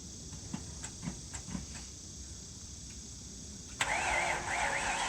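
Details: Original one-owner 1969 Ford Mustang Mach 1 with a leaking fuel tank, backed off the trailer: a few slow ticks while cranking, catches near four seconds and settles into a steady, hissy run; starts and runs fine.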